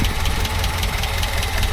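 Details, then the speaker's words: Talbot Express campervan idling after oil change: steady low idle with a faint rhythmic puffing over the exhaust note; suspected small exhaust blow at the downpipe. "So, I can hear that puffing, but that's I'm not too worried about that at the moment."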